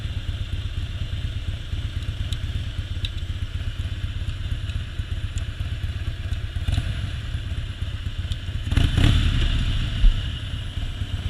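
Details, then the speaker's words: 2001 Harley-Davidson Softail V-twin with new plugs, fuel pump and tune-up: idles very low, then chugs with uneven stumbling misfire under even minimal load at low speed after freeway exit. "Alright, we got some misfiring going on. The heavy load, it starts misfiring."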